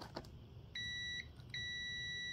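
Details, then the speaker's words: Lawn tractor 5-prong ignition switch (Cub Cadet), key off, meter across G (ground) and M (magneto): two steady high beeps show continuity, so the switch contacts are good. "all right we're good there"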